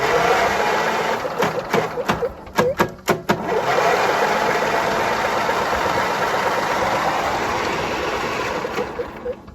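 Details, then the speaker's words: Free Craftsman riding mower engine with spark plugs removed and a little oil in the cylinders, cranked by shorting out the solenoid: a few sharp electrical snaps, then a smooth, even starter whir as the engine spins freely. "It spins freely. So maybe we'll put the spark plugs back in and put a little gas in the hole."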